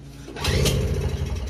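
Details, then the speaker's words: Toro CCR2500 5 hp snowblower with new spark plug and confirmed spark: pull-start gives a few rough firing pops that sputter out; suspected carburetor issue. Nearly starts but won't run. "We tried starting it, no luck. Let's try it again. See what happens. It wants to start. Huh? It's almost there. It's just not quite."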